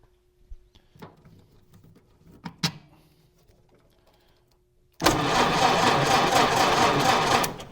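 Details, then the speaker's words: Model A Ford starter, miked, freshly charged battery, fresh spark plugs: steady, strong starter whir about two and a half seconds; cranking now fine, problem was wiring, most likely the ground, not the starter. "Ah, all right. That is much better. That's not the greatest starter I've ever heard, but that is fine."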